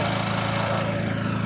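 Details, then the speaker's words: Onboard RVMP 5500 generator on a Brinkley 3950 Model G RV, freshly oil-changed and switched from LPG to onboard gasoline tanks: steady even hum, smooth low drone, no misses or knocks; ran about 20 minutes with everything good. "All right, so I successfully ran it for like 20 minutes. Everything's good on it."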